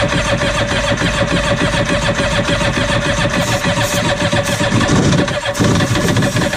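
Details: Cheap used Yamaha WaveRunner two-stroke on new mixed gas with the fuel valve found set to off: catches and runs in ragged, uneven, surging, stumbling bursts with no steady idle; rough running, likely fuel-starved.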